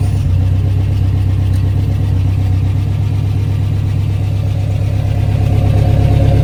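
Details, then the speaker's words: 1993 Toyota pickup 22RE with a newly installed Redline Engine Builders Beast camshaft, true first start before break-in: steady, even low rumble at about 1,000 rpm with only a faint lope; idles smoothly and sounds healthy. "Yeah, then we're going to break it in, and she sounds mean."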